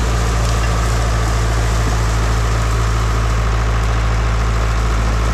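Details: International 125E power-shift track loader diesel, parked about 10 years, after freeing a seized piston and clearing a mouse nest: deep, even idle rumble, no knocks or misses; healthy normal idle.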